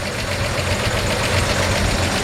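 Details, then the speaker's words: 1949 Chevy 3100, still on a six-volt system: the old six idles with a smooth, even low thrum and no ticks or knocks. A healthy-sounding engine. "healthy sounding engine we shut it off here and show you around some more"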